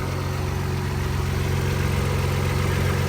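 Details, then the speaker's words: Audi B5 S4 after water pump and timing belt replacement following overheating, warming up at 58 C coolant: steady even idle with smooth low rumble, no knocks or ticks; firing cleanly, coolant temp holding, head gaskets appear safe. "Alright, so we got 58 C coolant temp, which is good. Starting to come up to temp. Keep an eye on it, let it warm up. Well, she's running really good."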